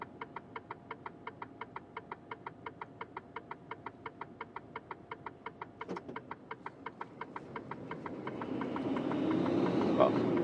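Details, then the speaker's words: HGV Class 2 (Cat C) truck cab: quick, even indicator ticking at about three per second over a low cab hum. "that's what Alondra was doing first exit and then second exit because yeah that indicator noise is getting annoying"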